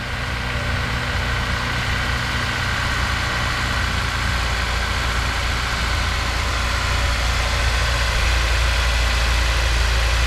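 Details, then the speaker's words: Honda S2000 at idle after cleanup and new spark plug cover bolts: smooth, steady low idle with an even rhythm and no popping or puffing at the exhaust; running cleanly, no misfire. "the temperature now now you can hear it's just got a smooth tone it's not popping or puffing"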